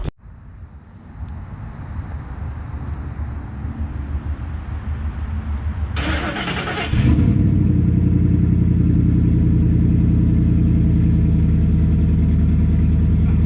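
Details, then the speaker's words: 2010 Ford F-150 V8, cold start on the damaged stock exhaust before a cat-back install: a loud, deep, throaty idle with a rapid exhaust pulse; a big hole or crack in the exhaust is suspected. Exhaust leak. "there's definitely a big hole or crack somewhere in the exhaust right now"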